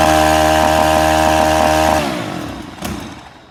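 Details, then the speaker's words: STIHL FS 131 R trimmer, previously hard to start and unable to idle or run past half throttle, after repairing a tiny hole in the valve cover: steady, even buzz at constant pitch, no surging, clean wind-down at shutoff; running healthy. "Let's zoom in here and get this thing cranked back up, and just, it's gonna run like a dream now."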